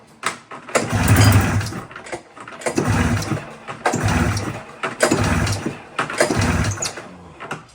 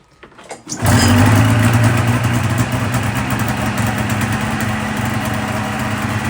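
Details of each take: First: 2000 Polaris 550 RMK Trail two-stroke snowmobile after reed valve work and carb cleaning, slide height and air screws reset: pull-start bursts, then fast raised idle that stays high; idle screws later adjusted; high idle. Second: 2000 Polaris 550 Trail RMK two-stroke snowmobile after reed valve work and idle screws set about 4.5 turns out: short crank, fires at once, warms and settles to a steady idle with no hunting or misfire; normal idle.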